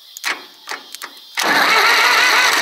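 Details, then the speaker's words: Zetor 4911 diesel tractor, parked since 1986, cranked for the first time: after a few clicks the starter spins the engine in a steady, even churn with no binding, sounding like a four-cylinder. The engine cranks freely. "I think she sounds just like the four-cylinder over exactly the same winding over like that it's just fantastic"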